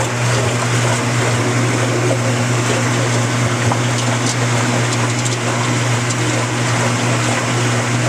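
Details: Amana washing machine running: steady low drone with constant rough, gritty screeching/grinding over water sloshing through the cycle; cause undetermined.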